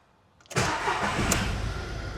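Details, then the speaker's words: Cheap auction Ford KA that had a management light and no power, started with no faults showing: brief crank, catches at once and settles into a smooth, even idle with no rattle; engine starts healthy and takes a rev. "Oh. Hey, she's good. She's good. She fired straight up."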